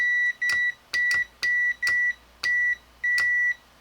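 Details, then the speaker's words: Multimeter on continuity across a 9-volt relay's contacts, with battery and an added LED: a clean high-pitched beep each time the clicky switch closes the circuit, seven short bursts with clicks at each start; the relay closing gives continuity and lights the LED. "My meter gets continuity. I'm closing the circuit."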